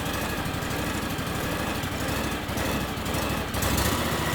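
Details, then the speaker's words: John Deere X728 lawn tractor after new starter, safety switches and dealer service, battery testing good: steady, even single-cylinder beat at settled speed, no misses, knocks or surging; normal running. "because the battery was testing good nice smooth running motor"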